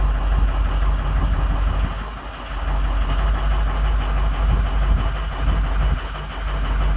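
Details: 6.0 Powerstroke diesel on a cylinder contribution test: heavy, deep idle that lumps and sags unevenly about every second, with injectors 5, 2 and 7 bad, causing misfire.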